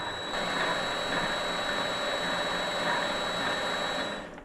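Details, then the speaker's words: Vevor MX400/210 mini lathe after tensioner pulley improvements; smooth even motor hum with a steady gear whine and no knocking or rattle, no pulley movement heard: drive running healthy. "I don't hear any pulley movement seems to be running very"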